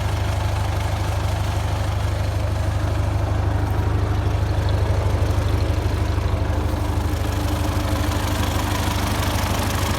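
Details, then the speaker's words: 1951 Ford 8N tractor after complete engine overhaul, previously knocking in the upper engine from a loose #2 cylinder sleeve: steady even low idle, firm firing pulses about three per second, no tapping; normal idle. "This is what she sounds like now. Hard to believe that a tractor that's built in 1951 makes it like 68 years old, man. It's still knocking along. Can't kill it."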